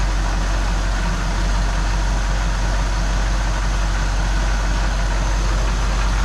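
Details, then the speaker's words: 1979 Ford F100, first start just after an oil change: deep, smooth, even rumble with no knocks, misses or hunting; normal idle. "all right here we go first startup after the oil change see what it sounds like this is our best running car by far"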